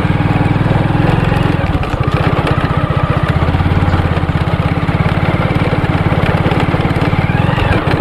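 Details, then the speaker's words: Single-cylinder motorbike running on turpentine (tarpin oil) instead of petrol; fast, even beat holding steady without jerking or stumbling, running comfortably; steady running on alternative fuel. "देखो अब एक बार ही मतलब झटका भी नहीं दे रही है और आराम से चल रही है"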